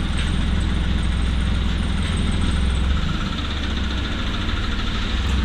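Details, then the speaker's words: First-generation Toyota Wigo after sucking water into the air cleaner box in heavy rain: rough idle with hard diesel-like knocking about three a second; valve tappets were checked and are not the cause. "Ito mga boss, binuksan na nila to yung valve tappet chinek na, pero hindi yun ang nagiging problema sa mga ganitong pag nakakahigop ng tubig mga boss."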